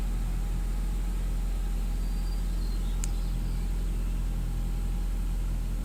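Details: Saab petrol engine after hard-start fix, fuel injectors with poor spray pattern professionally cleaned and rebuilt: steady, even low rumble with no misses, stumbles or hunting; smooth healthy idle.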